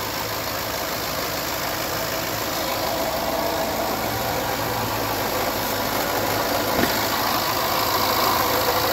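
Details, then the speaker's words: 2011 Land Rover LR4 at idle: steady even hum with light accessory whir and faint fast tick, no timing chain slap or rattle; normal idle. "There is none. No slapping noise. Nothing like that. Just standard ancillary noise, motor noise."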